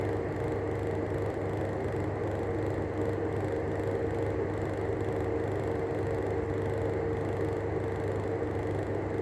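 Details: Arlec 200mm exhaust fan running with worn-out bearings: steady whirring hum with a thin constant tone over a rough, gritty rumble; bearing noise.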